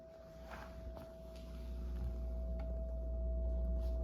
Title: Whirlpool fridge sound at Lowes vs what Lowes delivered to my house